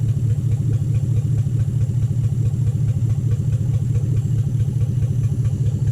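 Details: 2007 Toyota Hilux Vigo 4x4 with a swapped 3UZ Toyota V8 and manual gearbox, idling after a suspected lost coil on one side was fixed, right-hand side running properly: a deep, even V8 idle with a regular pulse and no missing beats.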